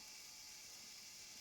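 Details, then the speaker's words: Sony MiniDisc player stuck in standby, powered up before opening: faint, steady high whir that never changes pitch, like a transport motor spinning with no load; owner suspects a failed belt. "but it does sound like a motor with no load on that to be honest in if a belt has failed so it might be a simple fix"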